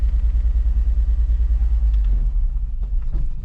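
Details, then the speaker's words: 2005 Mazda Tribute 3.0L with check engine light, runs rough with misfires on cylinders 1, 4 and 3 per scan tool: deep, lumpy, stumbling rumble; won't stay running without throttle; owner had it towed home. "It is definitely misfiring. And we definitely got misfires on cylinders 1, 4, and 3, it looks like. So definitely three misfires, 1, 4, and 3."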